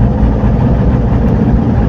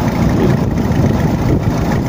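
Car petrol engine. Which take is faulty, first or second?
second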